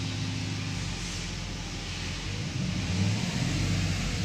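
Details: Mercedes S500 (2000–2006 S-Class), which had failed fuel pumps causing crank no-start: even low rumble swelling slightly as revs rise, no stumble or misfire; running normally.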